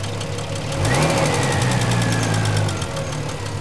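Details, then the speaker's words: 1975 Triumph TR6 PI, Lucas mechanical injection, after a small adjustment: throttle blip revs rise sharply and fall to fairly even, slightly lumpy idle from sporty valve timing; picks up cleanly, normal. "blip they're never silky smooth because um the valve timing is still quite um it's still quite uh sporty should we say uh it's not designed to be ultra smooth in this installation"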